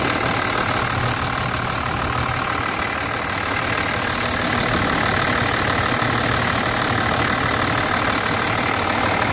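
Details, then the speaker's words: 2006 Dodge Ram 2500 Cummins turbo diesel, about 155,000 miles, idling: steady light tick about three per second over the clatter; owner unsure if valve lash or injector, some oil blow-by, quieter after Hyperlube and injector cleaner. "2006 Cummins. Not sure if it's a valve latch issue, ejector, but definitely a little ticking noise here."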